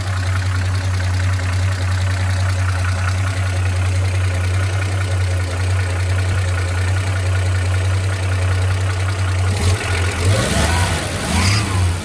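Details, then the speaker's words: 1979 Chevrolet Opala SS6 with 250-S inline-six, freshly restored, at idle: steady smooth idle with light quick even valve tick, the characteristic solid-lifter noise of the 250-S; normal solid lifter tick. "esse barulho de tche característico do motor 250s [Música] né e que em algum momento a GM chegou a soltar um 250s com tch hidráulico né"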